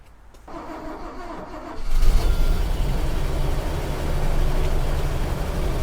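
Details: Toyota FJ40 after overheating fix (fan clutch, thermostat, coolant), radiator raised for bleeding, heater on hottest: starter cranks briefly, engine catches and settles to steady even idle with smooth low drone; normal start and idle.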